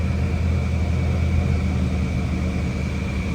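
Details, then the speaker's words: 1987 Chevrolet Monte Carlo SS, carbureted, about 15,000 miles, just after cold start with choke on: steady deep rumble at a raised, even fast idle; normal. "the choke came on for a minute. It'll go down momentarily."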